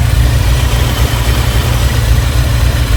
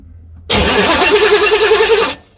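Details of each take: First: 1986 Chevy C4 Corvette TPI 350 with 700R4, fuel injection replaced by intake and Holley 650 carburetor due to rusted injectors; deep, even, smooth idle with no misfire or knock; carb unadjusted, choke unhooked, loading up slightly. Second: 1986 Chevy C4 Corvette TPI 350 with rusted injectors and a leaking fuel rail: even starter cranking under two seconds with regular compression pulses, never firing; cranks but won't start, with not enough fuel suspected.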